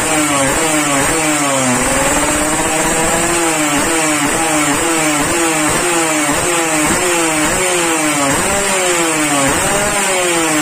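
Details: Yamaha RX King two-stroke, warmed up after daily carburetor tuning, exhaust test: crisp ringing revs in repeated blips, pitch rising and falling cleanly. It runs healthy and responsive.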